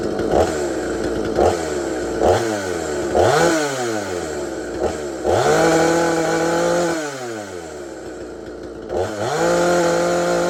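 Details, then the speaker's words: Extremepower 8200XP 45cc chainsaw with a 22-inch bar, about a year old: revs rise and fall cleanly with each throttle blip, then settle to an even idle. Normal running, crisp. "And it does run really good, and I'll try to do a startup onto this chainsaw and let you listen to it for a little while."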